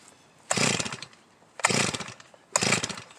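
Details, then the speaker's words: Huztl G366 (Stihl MS361-type) chainsaw that dies coming out of cuts, warm restart: three pull bursts about a second apart, each sputters briefly and dies. Hot restart failure; a plugged fuel tank vent is suspected. "it isn't okay I'm not gonna choke it I'm just gonna go down at close the butterfly and give it fuel head to half choke it so I think there's like I said an issue"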